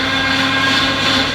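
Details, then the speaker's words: Mercedes-AMG GT after refilling an empty power steering reservoir with Mercedes fluid, since the cooler had been removed and fluid leaked: loud steady high whine over the engine from air in the system; improved after turning lock to lock to bleed. "so I can hop in start her up that's not a nice noise but we have some power steering"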